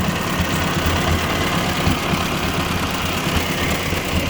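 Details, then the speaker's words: 1957 Ford 841 tractor after fitting a Chinese replacement carburetor, tachometer not working: slow steady low even thump with no misses or surging; the carburetor works. "It actually doesn't sound too bad. I gotta get the tachometer fixed. I want to idle it down just a little bit. Carburetor works."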